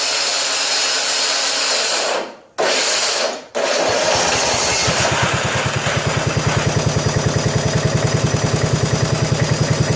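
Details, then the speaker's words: 1987 John Deere SX75 lawn tractor cranking; grinding starter whir cuts out twice, then catches into steady fast cranking as the starter clutch finally grabs; slow-engaging starter, cause not confirmed. "I'll let it crank and over until it the clutch decides to grab a little"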